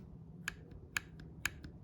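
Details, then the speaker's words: XM16E1 rifle (U.S. Ordnance build) after the cheap factory hammer was replaced with a genuine Colt hammer to cure a trigger fault: four crisp single clicks, clean reset and release with no double click; trigger now working normally. "Works like it should."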